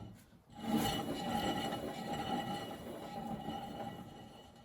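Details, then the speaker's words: Triumph TR7 under restoration, front wheel turned backwards by hand: steady dry scraping rub; owner thinks it is the brakes, the backing plate touching, already pulled away slightly and sounding a bit better. "a bit more noise there. Now that would appear, I guess, to be the brakes. I've done this a couple of times and I have pulled the backing plate away a little bit."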